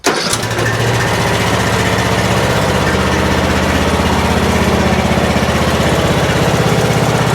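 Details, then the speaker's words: Troy-Bilt Pony riding mower running without choke after a loose fuse block connection was found: even, steady single-cylinder beat at about four pulses a second, no misses or surging. Normal running. "Well, does seem like the idle's a little bit high, but that throttled right up and went back down to idle."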